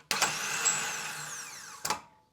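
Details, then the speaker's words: 2005 VZ Commodore V6 at about 270,000 km with a no-crank, electrical smell and white smoke, starter run by bypassing the melted solenoid: a high whine spins up with a rough, uneven edge, then winds down. The starter is worn, needs full replacement. "oh she's nasty mate so in this case I'm going to recommend the entire starter motor not just the solenoid cuz you heard it"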